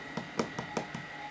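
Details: IBM PS/2 Model 80 hard drive, previously failing to spin up, during full surface scan: steady spin whine with regular light seek ticks about five a second, no grinding; reading normally.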